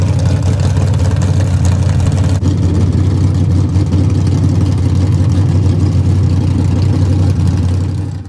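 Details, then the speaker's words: Small-block Chevrolet Camaro V8 with choppy cam on straight open headers, sat three weeks, cold start after tune-up: loud, deep lumpy idle with uneven loping beat; healthy engine, choppy cam idle. "off on the road but that's cool because we get to hear it straight open header with this choppy Cam that has literally been sitting for three weeks"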